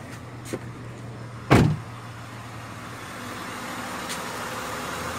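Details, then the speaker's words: 2004 Honda Odyssey (120K miles) at idle after replacing the EVAP purge control solenoid valve: steady, even hum, the chatter/clicking that appeared when warm or stopped is gone; one loud thump from handling. "there it is the noise is completely gone the chatting of noise is completely gone so this is a successful $10 quick fix for me"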